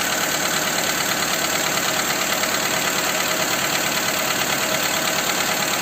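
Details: Skoda Fabia 2 with a 1.4 petrol engine at idle after the camshaft cover with camshafts was replaced: a steady ticking knock, about three per second, is still present; its source remains unknown.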